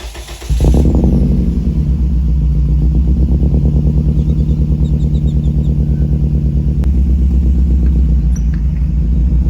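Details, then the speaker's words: Toyota Echo 1.5 petrol, 391,000 miles, after a mis-shift over-rev: starts and idles with an uneven stumbling pulse from a bad misfire. It used half a tank of fuel in 30 miles; cause unknown. "So like you heard, we got a Yota down. It's got a pretty bad miss."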